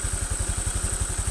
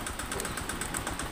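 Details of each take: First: Honda Vario 125 FI scooter after full engine internals cleaning and part replacement: even, low putter of about ten firing pulses a second, no misses or knocks; engine now smooth, normal idle. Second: Honda Vario 125 FI scooter, late oil changes and dirty throttle body: rough engine with rapid, uneven, ragged puffing and white smoke at the exhaust; compression leak from worn, scored piston.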